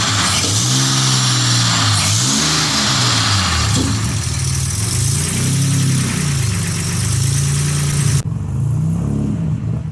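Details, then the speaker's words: Nissan Z31 turbo engine after installing a Remnant Performance Omega 62 (G30-900) turbo, replacing one with bad oil seals, before tuning: clean free revs rising and falling with faint turbo whistle audible through the exhaust; normal revving. "but anyway I got it fired up sounds pretty good I like how you can actually hear the uh turbo through the exhaust that's pretty interesting"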